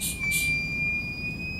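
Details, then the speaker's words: Husqvarna chainsaw fuel system vacuum test using modified fuel cap with fitting and pressure gauge set to vacuum; thin steady high whistle over low hum as vacuum is drawn, gauge not holding; vacuum leak. "You might be able to hear that, but there's a whistle there. So the gauge it's not holding pressure and the vacuum's working."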